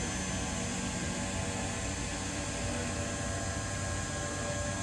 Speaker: really smooth at 6,000 6,000 rpm